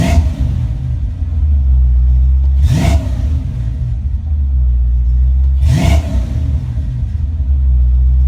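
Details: Ford Mustang Foxbody V8 with rebuilt, tested A9L mass air ECU: steady idle around 800-900 rpm, two quick blips rise and fall cleanly without stumble or misfire, settling evenly; normal idle and revs.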